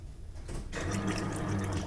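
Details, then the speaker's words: Truck with new fuel pump that ran on brake cleaner but got no fuel, key cycled on and off: pump kicks on with steady low hum and fuel gurgling through the line; pump primes and works, fuel filter suspected, possibly low on gas. "Okay turn it off turn on yeah it's still pushing out more than it was okay go ahead and turn it off all right so it's working"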